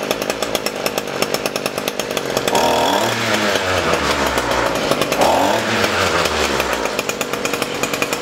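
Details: ECHO SRM-225 trimmer after carburetor cleaning, hidden jet adjustment, diaphragm and air filter replacement: crisp steady two-stroke idle that picks up cleanly through two throttle blips and settles back smoothly. Normal running.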